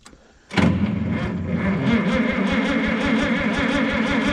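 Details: Minneapolis-Moline G900 LP tractor, clutch down, a little throttle: even starter cranking of about four to five beats a second, never fires. Fuel supply was blocked by bird-nest debris in the pipe and carburettor.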